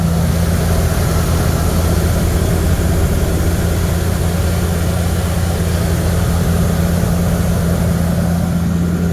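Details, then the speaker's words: 1979 Ford Thunderbird after fuel system rebuild (new fuel pump, filter, rubber lines, sending unit), running on its own: smooth, even low rumble holding steady idle speed with no knocks, misses or stumbles; healthy, settled petrol idle. "we replaced the sending unit and now she's running on her own and she sounds healthy listen to this"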